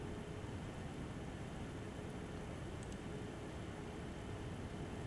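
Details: MSI Radeon HD 7970 Twin Frozr III graphics card after fan replacement, under render test with GPU around 35–50°C: smooth steady airy rush with faint even hum, no rattle or grinding; normal fan operation.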